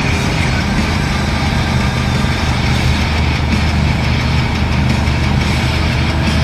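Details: Align Trex 550/600 electric RC helicopter after one-way bearing adjustment: smooth steady rotor and drivetrain whir through a full-throttle pass, no ticking or snatching as it comes in; one-way bearing not locking, drivetrain clean.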